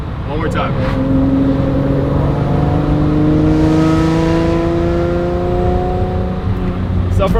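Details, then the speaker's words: Lamborghini pulled up through 3,000–3,500 rpm gives a rising raspy, metallic exhaust drone that then eases off. The owner assumes a cracked exhaust-tip weld causes a separate metallic rattle near 2,000 rpm. Normal exhaust note on rev. "from 3,000 to 3,500, it has that raspy tone to it. Now in the 2,000 RPM range, it has a different sound."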